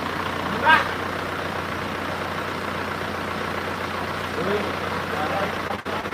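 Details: Freshly rebuilt Isuzu Panther diesel (rebuilt for white smoke, not yet run in): steady, even idle clatter with no knocks, misses or surging; healthy and settled.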